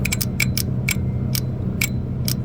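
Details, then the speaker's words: 2019 Ford F-150 idling: sharp, uneven metallic ticks over low engine hum, loud ticking thought to be a lifter but caused by a broken rocker arm whose pivot seat broke so it cannot open the valve. "that rocker smoked so the the pit where it pivot's on is broken so now it's not able to open it up so that's where the noise is here"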